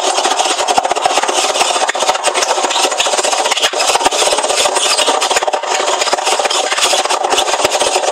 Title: Hoover washing machine making loud noise